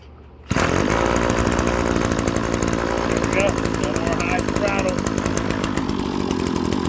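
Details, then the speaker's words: RedMax BCZ260TS trimmer that was high-revving with a stuck throttle, after throttle cable and fuel line replacement, primed and started: a steady, buzzy two-stroke note at even speed without surging or screaming high. It runs normally. "It's running. It was running like there all the time."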